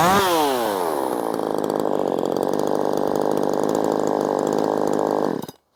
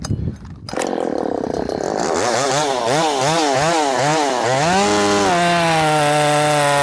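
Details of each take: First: Ported Poulan Pro 4620 chainsaw after retuning the carburetor low and high screws: it revs quickly to a crisp, steady high scream that holds clean without bogging, then shuts off. Tuned right, normal running. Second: Ported Poulan Pro 4620 chainsaw with an 18-inch bar and cable throttle, carburetor adjusted from too lean to too rich: after starting, revs surge and wobble, then settle into a burbling run.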